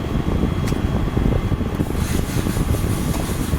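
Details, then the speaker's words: GE Profile window air conditioner, curb find, on high fan speed with mic right against it: smooth even low fan rumble and wind noise, no rattles, ticks or squeals; runs quiet and healthy. "But um this is a quiet air conditioner. It you hardly makes any noise whatsoever on high speed."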